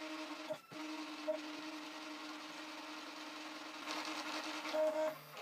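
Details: Prusa i3 MK2 3D printer during XYZ calibration, head moving between the four probe points: soft, steady stepper whine with short pauses and chirps; calibrating normally, normal stepper motion.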